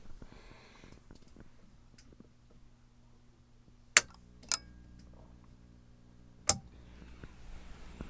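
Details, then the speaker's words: Pioneer Spec-4 amplifier power-on, microphone in front, reworked two-relay soft-start: about a second after switch-on two sharp relay clicks slightly apart, as the capacitor banks charge at slightly different rates, then low transformer hum. Normal soft-start. "Did you hear how fast that was? That was only within a little bit over 1 second. And you heard them both click. And they kind of clicked out of sequence because these banks of caps charged at a very slightly different rate, which is normal."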